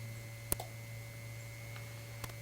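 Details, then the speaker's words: Relay pulls in with sharp isolated clicks over steady mains hum on a 1952 Guide Autronic-Eye vacuum-tube automatic headlight dimmer for a 1953 GM Chevrolet, but the bulb gets no output; suspected bad connection or dirty relay contacts needing burnishing. "I hear something clicking the sensitive relay is clicking"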